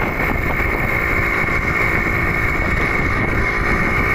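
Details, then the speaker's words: Suzuki Crystal two-stroke motorcycle after engine rebuild (gears, oil pump fitted, oil refilled), previously very rough; steady even buzz through test ride with wind rush, no knocking or rattle: normal smooth running. "Kencangkan lalu hidupkan sudah halus kan suaranya ya memang kemarin Kasar banget enggak kita videoin"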